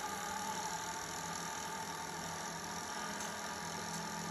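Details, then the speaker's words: 1980 Sony Betamax SL-5800 VCR, dormant for years, before cleaning; fast forward not spinning, rewind earlier failed but now works; smooth constant motor hum with faint whine, no grinding, normal rewind. "how about rewind all right rewind is working"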